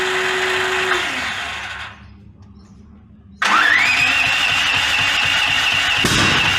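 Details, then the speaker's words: Brand-new Duromax 13000 generator on propane backfiring out of the box (backfires ruin the choke stepper motor). It cranks and catches into a high steady run with sharp pops; the maker blames the faulty stock LG F6TC spark plug. "all right so according to Duramax this backfiring issue is a result of a crappy uh spark plug"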